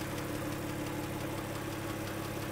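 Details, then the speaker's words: Porsche flat-six (986/987/996/997), hot engine at idle, stethoscope on cylinder 4 during bore-scoring diagnosis: light even tapping over a smooth idle, slightly more than cylinder 2 on the other bank; not alarming. "I hear a little bit of tapping noise, a little bit more than I heard on cylinder number 2 on the other side."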